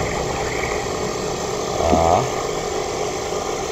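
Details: National-type water pump after seal and bearing service for a leak: steady, even motor hum with water rushing and no grinding, rattle or squeal; the pump runs smoothly with strong suction.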